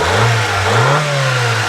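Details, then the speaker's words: 1992 JDM Honda Civic VTi EG4 after timing belt, water pump and valve cover gasket replacement, warm, ignition timing set to 16 degrees: smooth steady four-cylinder hum with light rev blip, no knocks or ticks; normal running. "we dialed it in perfectly and it's running perfect you can hear it this thing sounds beautiful"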